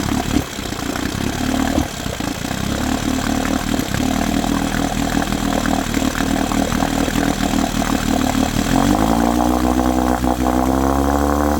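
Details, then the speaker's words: 1972 Johnson 9.5 two-stroke outboard, roadside find, fuel mix heavy on oil; runs rough with an uneven, stumbling beat as it picks up speed, almost like firing early: misfire, cause not yet found. "Not sure what that misfire is. It's almost like it's almost like it's firing early. Doesn't sound good."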